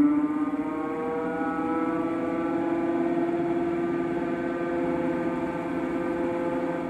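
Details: Fantech FR100 radon mitigation pump/fan developed a low grinding whine: a steady humming whine with layered tones over a rough undertone. The fan motor bearings are suspected to be worn and were later replaced.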